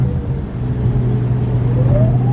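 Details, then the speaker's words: Audi B5 S4 twin-turbo after boost leak fixes: thin siren-like whistle climbs as turbos spool over engine drone. Owner suspects remaining leak at inlet or charge pipe clamps; cause unconfirmed. "like after I do a whoa it almost sounds like a almost sounds like a siren going off pretty funny"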